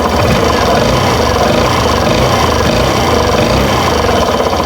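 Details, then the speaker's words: Suzuki Burgman Street scooter after repair: steady even drone under throttle; earlier sawing, scraping noise from CVT torque drive area gone; normal sound. "So ayun wala ng tunog lagari mga bossing. So normal na po ang kanyang tunog mga bossing."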